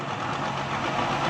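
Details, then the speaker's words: Worn CV joint on the lifted left front wheel, spun in second then third gear with throttle: steady dry grinding rasp, no engine knock; the drive-shaft boot is torn and the joint worn out. Boot to be replaced and regreased. "दोस्तों, इस गाड़ी में ये प्रॉब्लम है कि इसके अंदर से, ये आपको मैं दिखा सकूं तो ये देखें, घोड़े का बूट फटा हुआ है, अंदर से इसका क्रॉस हो चुका है, जिसकी वजह से ये आवाज़ दे रहा था।"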